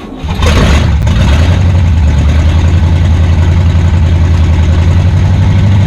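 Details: 1962 Cadillac hearse sitting 40+ years, fitted with a junkyard engine, first start with timing being adjusted: cranks, fires fast, holds loud steady low idle with even pulses, no knocking; loose motor mounts noted afterward.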